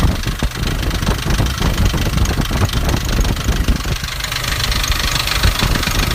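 Uneven, rapid rattly clatter over the diesel idle, similar to a flywheel rattle; traced to a cracked intake manifold.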